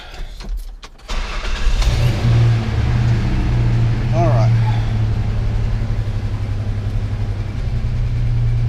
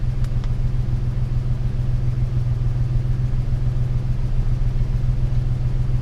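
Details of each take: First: 1998 Ford Ranger with a swapped 3.0 engine, scan tool connected: a steady fast idle of about 1200 rpm against 800 commanded, with the idle air solenoid already at zero. Excess air passes the closed throttle; no vacuum leaks were found, and changing the PCV valve and computer did nothing. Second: 1998 Ford Ranger 3.0 with unknown swapped engine, after high-idle fix, settling back after a throttle blip to about 896 rpm desired idle, idle air solenoid 23–24%: steady, even low rumble with no misses or knocks; running well.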